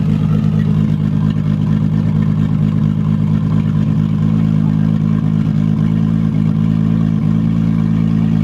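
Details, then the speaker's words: 1999 Regal 1800 SLR ski boat, 4.3 GL V6 MerCruiser inboard, sitting 12 months, just started on a new battery and warming up: even, steady idle with a smooth regular pulse, no knocks or misses; sounds good. "sounds good so it sounds all right off ch's going off"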